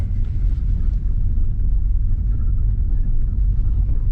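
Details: Lada Vesta driven over broken pavement after fitting ASOMI suspension parts to cure knocking: deep steady road rumble with no knocks or clunks heard from the suspension.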